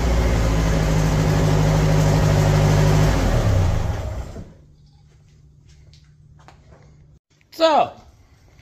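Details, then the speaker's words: 1975 MGB four-cylinder project car, now firing on all four cylinders: even, regular beat for several seconds with no skips, then shuts off; runs much better than before. "runs a lot better when it's firing on all four cylinders"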